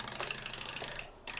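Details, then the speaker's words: Hyundai Grandeur IG 6-speed automatic transmission under overhaul, solenoids bench-tested: dry clicking cuts out and resumes, #2 works intermittently; #3 (2-6 clutch solenoid, 2nd/6th gears) has failed; solenoids seized by bearing dust from broken idler bearing, all to be replaced. "It works intermittently . # 3 is dead. #3 is the 2-6 clutch solenoid; the solenoid controlling 2nd and 6th gears has failed."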